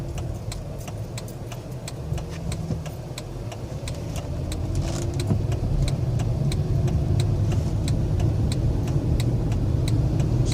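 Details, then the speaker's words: Chrysler Hemi after new cylinder heads (valve seat fix), fully warmed up after about 45 minutes, driven on the highway; good pickup, smooth engine note building steadily with speed, no knocks or misses; normal engine running while driving. "sounds pretty good good pickup runs better than it ever has it's fully warmed up and running for about 45 minutes sounds real good"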